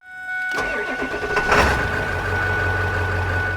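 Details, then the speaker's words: First-gen Ford Super Duty diesel truck: short crunchy crank, fires at once and settles to a steady, even deep diesel idle rumble; healthy start. "You know, when you hit the key, it just sounds like it's crunching on a bone, and then it's running from there. It's like, yeah. Some of you know what I'm talking about. It sounds awesome."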